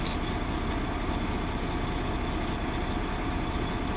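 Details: Diesel truck idling during air brake test, air system building pressure after a brake application, governor cut-out 134 psi, cut-in 109 psi: steady even idle with low rumble, no knocks or misses; normal idle.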